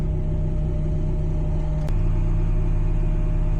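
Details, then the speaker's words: Warm 1990s NA Mazda Miata at idle with the idle control valve fully closed, fed by a custom remote IACV; steady even low rumble with a faint tone, idling smoothly on its own. Roughness turned out to be an unplugged injector on the plug-and-play adapter. "The car is fully warmed up. Idle valves uh completely closed. And as you can see, it's basically idling on its own."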